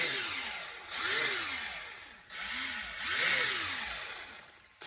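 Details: Maverick Strada XT RC car after re-securing loose outdrive grub screws that had caused the drive fault: short throttle bursts of electric motor whine, with front and rear drive turning. Gears spin freely with no grinding. Normal drivetrain.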